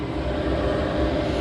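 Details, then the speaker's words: Cheap Amazon diesel heater newly installed under passenger seat box of a 1992 Land Rover Defender: steady, even low roar of burner and fan, no surging, popping or rattles; running normally, very warm output. "i don't know if you can hear it but it's rolling and it's exciting because it is very warm"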